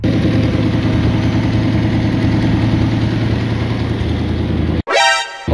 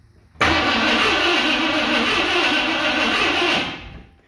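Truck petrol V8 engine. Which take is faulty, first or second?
second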